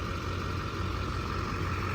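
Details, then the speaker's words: Old truck with a replacement engine, started after sitting unused: low, steady idle rumble with an even beat and faint constant hum, no knocking or ticking; normal idle. "We got this old girl fired up. She's been sitting."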